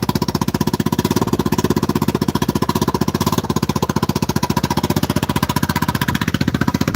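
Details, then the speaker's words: Vespa Super Sport scooter, 159 cc engine, idling: quick, even putter with steady rhythm and no misses or knocks. Normal idle. "That's 159 cc's of pure fury right there, guys. Listen to that beautiful purr."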